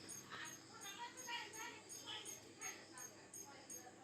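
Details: LG 14-inch CRT TV powered through a series lamp: sharp, evenly spaced ticks about three per second from inside the set, TV won't turn on. Flyback (EHT) arcing.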